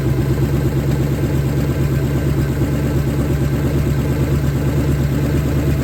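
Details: 1970 Ford Falcon, freshly budget-rebuilt 5.0 V8, cold, on open shorty headers, cold oil pressure about 70–80. Even, steady low idle with a firm uniform exhaust pulse, no ticks or knocks; starts easily, no weird noises, healthy.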